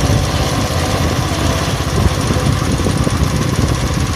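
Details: 170F single-cylinder engine after replacing crankshaft and connecting rod, fresh oil: steady low thumping at even speed, no sharp metallic knock; the knock is gone. Normal running.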